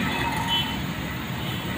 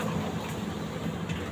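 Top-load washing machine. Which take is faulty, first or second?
second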